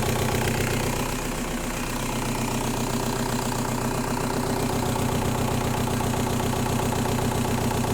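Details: Bad injectors cause an even, rattling diesel knock of about four beats a second at idle on a 1.9L M-TDI with an ongoing fuel problem: diesel injector knock.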